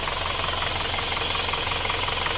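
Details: Warm Isuzu Panther diesel at 72°C after the sunken cylinder 4 liner (compression leak) was flipped and new piston rings fitted; no dipstick blow-by. Even, steady idle clatter, described as soft with no rattling sound; healthy.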